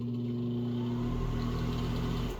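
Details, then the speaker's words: Bathroom exhaust fan running before cleaning: steady low droning buzz and vibration, fading as it stops; dust buildup on the fan blades unbalancing them, fixed by washing or brushing the blades. "a lot of times the fan blade will get dust on it and it creates vibration."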